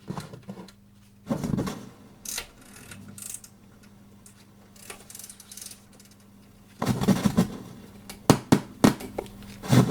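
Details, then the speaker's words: JVC VN-300 vintage receiver just powered on, no audio input connected: low hum with sudden irregular loud cracks and pops; crackling from faulty transistors, a poor volume-pot ground also noted. "O, jest faktycznie głośny trzask. No te trzaski są niepokojące generalnie."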